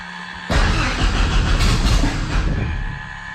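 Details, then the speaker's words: Thorp T-18 homebuilt airplane, not run in about six months, with fresh fuel, a brand-new starter and a charged battery, primed three times, boost pump on, mixture rich, throttle cracked; the starter cranks with uneven half-firing pulses that nearly catch but don't run. "Oh, she wants to. It's on, okay."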